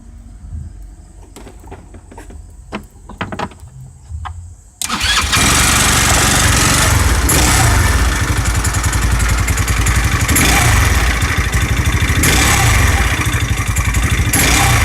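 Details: 150cc 157QMJ scooter single, rebuilt after bad crankshaft bearings were replaced, first start on a weak battery: cranking is weak, then it catches and runs with a quick, steady beat of about four pulses a second and sounds healthy.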